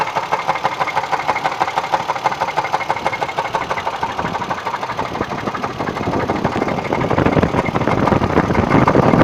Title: Engine knock what is it?